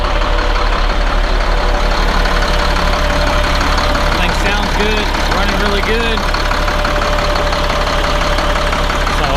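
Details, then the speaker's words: Caterpillar C7 diesel after replacing two bad injectors, first start-up: even, steady idle with regular low firing pulses, no misses or knocks; running smooth. Check engine light flashing from a faulty water temperature sensor still to be replaced. "it's running good running smooth just like what we want"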